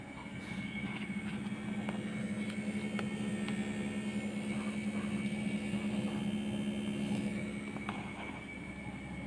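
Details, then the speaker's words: Changhong 21-inch CRT TV: indicator light on but the set won't start; only a steady rough electrical buzz and vibration with a faint high whine; flyback transformer fault. "Hai jadi seperti itu hanya ada suara mendengung ya bergetar"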